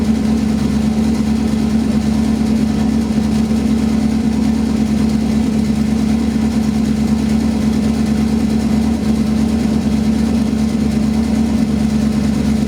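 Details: Smooth, even idle with a steady low hum and no ticking or exhaust puffing after replacing the spark plugs, ignition wires and coils, cleaning the MAF, and replacing the leaking cat-back exhaust gaskets.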